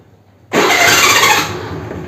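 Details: Hero Honda scooter self-starter: sudden harsh whirring screech the moment the starter engages, easing after about a second; noisy self-starter on cranking, cause not stated.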